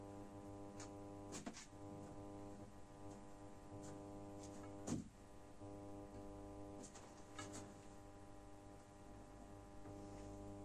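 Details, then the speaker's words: Genius 5.1 speaker system: loud steady low buzz with stacked tones on a low fundamental from the satellite, unchanged at minimum volume; noise disappears when one PCB is disconnected, so that amplifier board is suspect. "now you can hear from the satellite it's a very very big noise"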